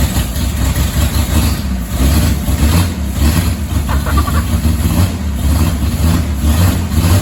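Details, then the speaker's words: 1959 Rambler, 195 flathead inline six with automatic, parked for years, first start after purchase, low on transmission fluid: steady, even low idle with smooth unbroken rhythm, no misses, knocks or stumbles; normal idle. "wow look at that i can't believe it sounds good it it bought me all that time and it's just gonna crank up and sit here and idle that is crazy"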